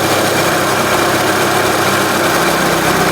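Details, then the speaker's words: Renault Scenic 2004 1.6 L petrol after intake manifold removal and broken MAP sensor replacement: steady, even idle with no hiss or hunting, speed holding flat; engine running normally. "and you can hear now the engine is either normal without any problem no hising sound or like that"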